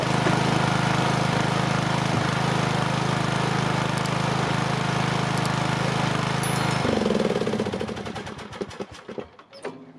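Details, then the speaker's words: Craftsman 18.5 HP lawn tractor, model 917.273811, Briggs & Stratton 18.5 Intek, after valve adjustment fixed hard starting and binding; single cylinder fires at a fast, regular beat, then shuts off and coasts down; starts instantly, runs great. Normal running. "It worked when I did the valve adjustment. It's not that hard to do. and it starts up instantly now. It runs great."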